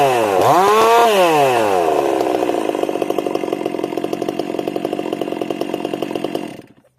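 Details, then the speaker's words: Rebuilt chainsaw (Stihl 362 or Husqvarna Rancher build), cutting under load: a sharp rev-up, then a strong, steady high note that holds speed without bogging. It is not slowing down and sounds healthy. "Yeah, you can pull on that all day, that one. She ain't slowing down, that's for sure."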